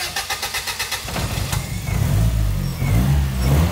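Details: Top Secret-built 4-cylinder turbo in Smoky Nagata's Supra GT-300, new FuelTech FT550 on dyno, after fixing wrong firing order: about a second of even cranking, then catches cleanly into a low, steady idle with no misfire.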